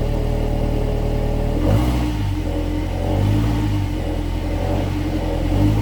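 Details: 2016 Subaru Outback four-cylinder, about 80,000 miles, warmed up, phone under car, low idle in gear: uneven metallic buzz swelling and fading from rear driver side; failed spot weld on an internal muffler baffle; muffler to be replaced.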